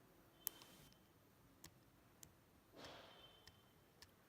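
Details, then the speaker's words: MacBook Pro keyboard with H keycap removed, pressing the bare switch and rubber dome: only soft faint ticks, no plastic crackle; key press sounds normal. "you clearly see this rubber dome this rubber dome makes a different kind of noise"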